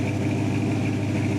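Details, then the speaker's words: 1979 Chevy K10 short bed square body V8, left to rot in the woods for years, first start during restoration: timing set at about 8 degrees, warm, smooth even idle around 750 rpm with no ticking or knocking, decent oil pressure; sounds healthy. "It sounds really good. I don't hear any ticking, I don't hear any knocking, thank God."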